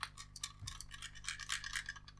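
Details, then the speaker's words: Faulty Anbernic RG350 handheld, not powering on, prior failed battery-change repair with a reportedly broken connector: light irregular ticking and clattering when shaken, like a loose piece inside the case; cause unconfirmed. "yeah I'm not going to try and plug it in because of the rattling and the fact that it's had a prayer repair attempt"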